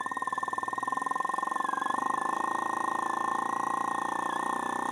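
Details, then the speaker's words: Agricultural crop-sprayer pump motor, newly rewired (one red, three green wires), running normally on a speed control turned up gradually: even electric whir with a thin high whistle and steady fast pulsing; indicator shows green and red lights. "તમે અવાજ સાંભળતો કે અવાજ સાંભળજો મિત્રો કે એક city વાગતી ટાઈપનો અવાજ આવે છે।"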